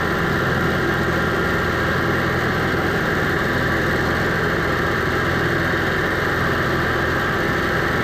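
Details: Onan 5500 motorhome generator that idled rough, died and backfired, running after carburetor cleaning and fuel filter refit: steady, even drone at constant speed with no misses, surging or knocks; running smoothly.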